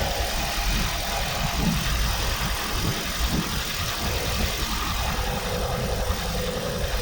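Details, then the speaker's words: Toyota Prius 3 (ZVW30) after intake manifold and EGR cleaning and new gaskets, which fixed its low-rpm rattle: a steady, smooth low idle with no rattle or tapping. Engine sounds healthy, normal idle. "yes everything is fine people yeah and hear the motor run nice around"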